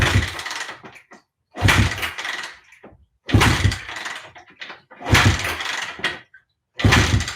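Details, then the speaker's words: Honda CB360 after winter storage: battery good, neutral light on, kill switch in run. Short one-second cranking bursts repeated with pauses, engine never fires; cranking, no start. Drain screws were later found left open. "okay should have started by now is my kill switch off no it's in run mode key is on horn works push the start button"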